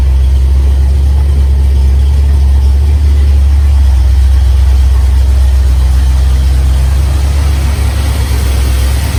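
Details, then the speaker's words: 1971 Dodge Dart Swinger 318 V8, 130k original miles, Edelbrock 600 carb, just started after about eight months: deep, steady, even burble with no misses, knocks or ticks; sounds really good, normal idle. "I'm gonna fire it up here the fuel pump turn on fires right up I haven't started it in probably eight months [Music] sounds really good"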